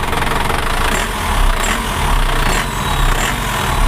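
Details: Isuzu Traga diesel after an oil top-up and shifting the injection pump timing for more torque: a steady, even low clatter at idle with no missing beats, sounding healthy and smooth.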